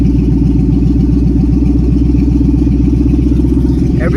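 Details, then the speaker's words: Ford S550 Mustang GT with nitrous, newly tuned and running E85, at first start on the new tune: deep, even V8 burble at steady idle, no misses or ticks; air-fuel ratio reads 9.7–9.8 as intended; normal idle. "Everything sounds good so far. E85 NO2 nitrous. Looks good so far."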